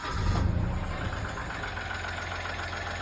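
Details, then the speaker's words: 2014 Mitsubishi Mirage petrol engine just after a cold start: a loud rough surge settling into an uneven, clattery idle, then the noise stops along with the oil light; the dipstick confirms low oil, and oil is then topped up. "Suara mesin aneh yang hilang tadi bersamaan dengan indikator oli pada speedameter. Sampai saat ini kita sudah dapat mengetahui bunyi aneh tersebut karena mesin kekurangan oli."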